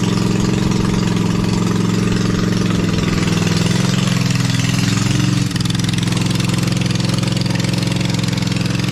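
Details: Lesco Viper 54" zero-turn mower with a swapped-in V-twin, muffler lodged on only one pipe, e-brake on. Loud open-pipe beat at about three pulses a second, steady with a brief dip; normal idle.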